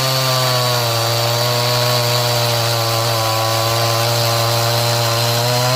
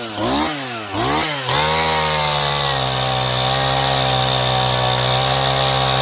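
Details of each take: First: Stihl MS180c 32cc chainsaw cold, bar under light load: steady high buzz that sags a touch in pitch and recovers; bogging when cold from a lean low-speed mixture, fixed by tuning and better once warm. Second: Stihl MS180 C 32cc chainsaw that bogged only when cold, low-speed screw opened about 1/8 turn, warmed up, cutting 8–9 in wood: high buzz dips briefly on entry, then holds steady through the cut; bogs slightly only under heavy pressure.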